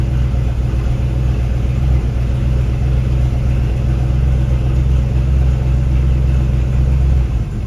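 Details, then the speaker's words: V8-swapped Mercedes 240D after fuel line and -8 AN fitting repairs: deep, even V8 rumble, no knocks or misses, running cleanly; normal running, though fuel still leaking badly from a fitting. "this thing sounds good oh yeah"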